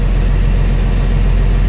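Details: International 4900 DT466 diesel idling after air pressure sensor replacement, warning light cleared at about 70 psi: deep, steady low rumble with no misses, knocks or surging; normal idle.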